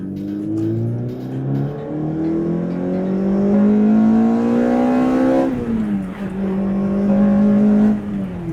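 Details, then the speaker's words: Toyota MR2 Spyder (third generation, about 20–23 years old) with a swapped engine, idling tamely at 800 rpm at a stop light, then accelerating: the note climbs smoothly, eases at the shift and pulls cleanly, a healthy engine. "I mean, just like right now, I'm sitting at a stop light at idle. We're idling at 800 RPM. This is a swapped motor and it is this tame."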